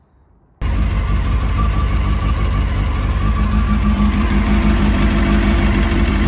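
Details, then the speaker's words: 2007 Honda CBF600 N-6 after a water pump leak repair, warm with the gauge up: a steady, even idle joined by a smooth radiator fan whoosh, no knocks or rattles. The fan kicking in shows the system is bled, with no more leaks under the pump. "that's it you can hear the birds kicked in temperatures up nice so that's pretty much telling me it's all bled out and there's no more leaks under the water pump"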